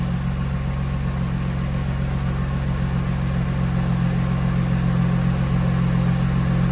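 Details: Mercedes W124 with M104 engine after ignition coil replacement (spark plugs already done, fuel pressure regulator fixed earlier); smooth even idle hum, no stumbles or skipped beats; misfire fixed, running cleanly.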